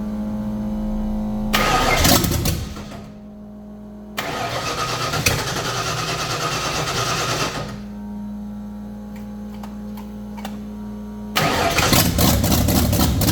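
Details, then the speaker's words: 1989 Ford Mustang Foxbody carbureted engine after the carb bowl began filling with fuel: several cranking bursts fire into an uneven, lumpy run that sags and surges, trying to hold idle. "all right so there's a little update we do actually have it trying to idle now"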